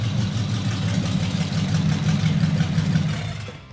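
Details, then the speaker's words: Custom build engine with exotic carburetors and partly fitted exhaust, first start: deep, throaty, steady and even burble as it settles to idle, good oil pressure and throttle response; normal idle. "It lays right down to idle and just purrs smooth. Look at that. Totally rad."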